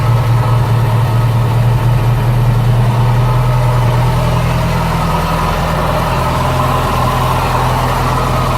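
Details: 1985 Bayliner Trophy boat engine, unused about 3 years, finally runs with a steady low even rumble, no misses or knocks, holding a smooth idle: normal running.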